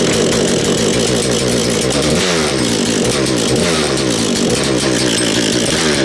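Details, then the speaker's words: Husqvarna 236 chainsaw, reassembled after the previous owner took it apart when the chain jammed in a log: crisp two-stroke buzz with good compression, holding steady through throttle blips and firing clean, like a little dirt bike. "Tell you what, it sounds like a little motorbike. Sounds like a little dirt bike, that does, doesn't it?"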